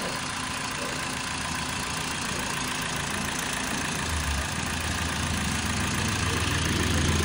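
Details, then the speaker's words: Toyota Vios petrol engine after its thick oil sludge was cleaned out, first start, still warming up with the aircon off: calm idle with a smooth low hum and no ticking. The earlier typewriter-like ticking is gone and the oil indicator went out. Normal idle. "Ano? Tahimik na. Wala na yung typewriter. Kalmado na."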